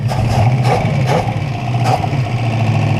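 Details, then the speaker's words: 1968 Buick Skylark Custom V8, abandoned since the 80s and newly revived, with the PCV hose off and plugged, idles with a deep, steady rumble after warming up; an earlier suspected rod knock went away; normal idle. "listen to that thing idle now he's just running"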